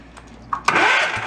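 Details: Log splitter of unknown vintage (owner guesses about 20 years old), long abandoned: sharp solenoid click, then a short whirring crank as the engine turns over while testing the push button; starter engages and cranks properly.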